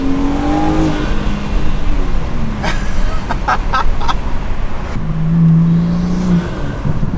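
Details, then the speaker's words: Car with a newly installed cast Pure 800 turbo and a custom tune, on its first pull of the first drive: the engine pulls hard as the turbo spools up cleanly, with no flutter or rattle. Normal turbo spool. "i can already tell you guys i can hear it the turbo spooling and it sounds ridiculous so i'll give you guys a little pull right here nothing too crazy though ridiculous listen to the turbo spool"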